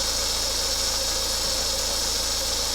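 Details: BMW 318 drive belt giving a loud, steady high-pitched squeal at idle; tensioner and alternator checked fine, the belt was contaminated with antifreeze and slipping; replaced with a Gates 6PK belt, quiet afterwards.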